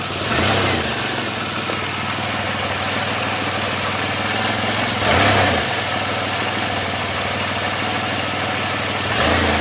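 Steady idle with a constant airy hiss riding high over the engine note and a brief surge or two; that points to an intake vacuum leak.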